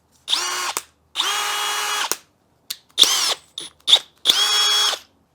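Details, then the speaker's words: Harbor Freight Hercules drill: short trigger bursts, clean steady whine without grinding or rattle; gears sound like a normal drill, despite a review claiming dry grinding gears. "sounds like a normal drill."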